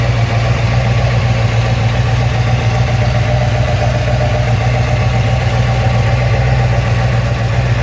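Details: Ford XC GXL with restored 351 V8, carburetted, not yet warmed up: deep steady V8 burble with even beat, no ticks, knocks or misses; choke later judged too rich; normal idle.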